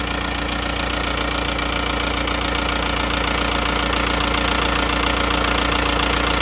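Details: Diesel engine after repair of a broken crankshaft, which was blamed on over-adjusted injection pump setting; the block is still good and the crankshaft is original. Steady, even idle clatter with a constant beat, no misses or knocks; normal diesel idle.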